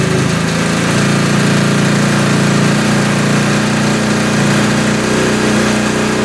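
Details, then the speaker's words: 1971 Suzuki T500 500cc two-stroke twin, rebuilt but then sat for years, first start: rough, wet, blubbery idle as the left carb floods, pouring fuel straight into the cylinder; a stuck float is suspected. "She runs, but she's dripping a ton of gas out of the carb. There's no offsetting on the carb, so as that pump was running, it was just spitting gas directly down the cylinder."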